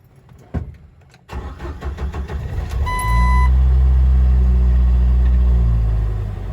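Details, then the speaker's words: 1997 Jeep Wrangler TJ SE 2.5L four-cylinder, manual, ~205,200 miles, cold first start of day: cranks, catches, idle climbs and stays high around 1,000–1,200 rpm (normally 600–800); idle air controller and throttle body to be cleaned. "so the Jeep's obviously cold so it idles a little bit higher but uh this is a little bit higher than normal"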